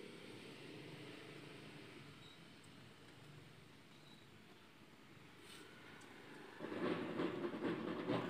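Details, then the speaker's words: Empty Polytron twin-tub washing machine wash side runs rough with a rattling grind even though the pulsator gears are intact, so the fault is likely in the gearbox rather than the pulsator. "Nah di sini masih terdengar berisik ya suaranya ya teman-teman masih kasar ya jadi bukan kerusakannya itu bukan di bagian pulsator namun kemungkinan ada di bagian gearbox ya teman-teman"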